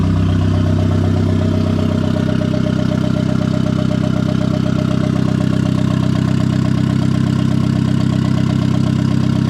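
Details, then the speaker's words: Turbo Miata first start after a hood dump pipe and brand-new bearings: fast, even idle that stays high. The idle air controller is plugged back in but not set in the tune, so it leaks extra air. "It has a high idle right now. And the reason why is because I did plug the idle air controller back in, but I don't have it set up."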